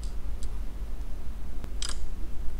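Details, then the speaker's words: InfiRay P2 Pro thermal camera: light, sharp click over a quiet room, a tick now and then as the shutter recalibrates; normal shutter calibration click. "the first thing we notice is the knocking sound so every two seconds you will hear the knocking sound"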